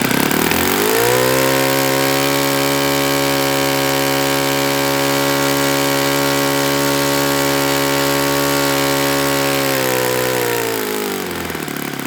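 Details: Enya 46-4C four-stroke model engine on a Ron Sexton test stand with 12.7 prop, stand possibly loosening: steady buzz winds down to a rougher, rattly idle around ten seconds; owner concludes it needs bearings.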